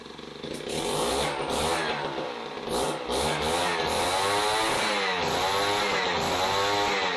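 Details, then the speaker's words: Jiffy Model 30 ice auger's small two-stroke engine, unused several years, running off the carburetor, buzzing and revving with slight burbling break-up at speed; this is four-stroking, meaning it is not running lean. "you can hear that kind of breaking up just a little bit that's four stroking and that means that we're not running lean"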